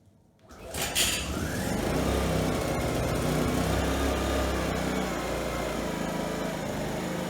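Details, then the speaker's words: Used Fuji inverter generator after repairs incl. recoil, valves, compression release, primer bulb, fuel, carburetor cleaning and plug boot: quiet, then catches at about one second and settles into steady, even beat, no misses; runs and makes power; normal running. "now bad sounds good runs good makes power"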